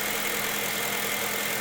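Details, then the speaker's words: Honda Civic Type R EP3 K20 idling after fixing and refitting the seized idle control valve that caused rough, hunting idle: even, steady hum with no stumbles, surges or knocks; normal steady idle. "already sounds a bit better and that is how you fix an idle control valve"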